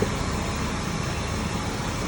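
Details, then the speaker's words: Jeep six-cylinder with a newly fitted warranty replacement engine: even, steady idle hum with no ticking or lifter clatter; earlier uneven cranking with mechanical clicks was suspected to be dirt in the ring gear. "Running good. Smooth."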